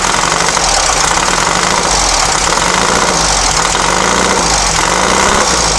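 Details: Long-stored dune buggy/sand rail on the truck battery, fuel solenoid and choke powered: loud, ragged idle with uneven knock-like firing and a rattly top end; runs but stumbles, idle and timing not yet set.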